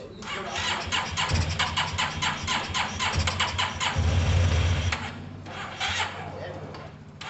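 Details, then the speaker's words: Yamaha TMAX carbureted scooter kicked over while starting fluid is sprayed in: a few ragged bursts of firing, then it fades as it stumbles. It runs only on spray, struggling with fuel from delivery or caked-up carbs. Fuel starvation. "Alright guys, that's good news because it started. That means it is struggling with fuel. That could be fuel delivery, or it could be a caked up carb."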